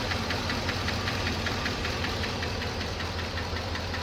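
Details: 2007 Chevrolet Trailblazer LT V8, 119,000 miles, idling after motor flush: light quick tick about two to three per second over steady note; collapsed lifter persists, DOD eliminator lifter and cam kit planned.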